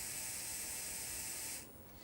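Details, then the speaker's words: Hornby T9 model locomotive after its old motor was replaced with a new one, not yet run in, tested before reassembly: a thin, hissy high whirr that cuts out and briefly returns. The new motor sounds rough and strained; the owner hopes it will improve. "now of course once it gets running maybe that motor will sound a little bit more happy so"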